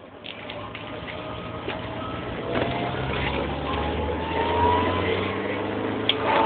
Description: Whats this chirping, grinding noise that happens when I boost my redtop SR20DET? Could it be the turbo exhaust wheel loose or a bad wastegate flap?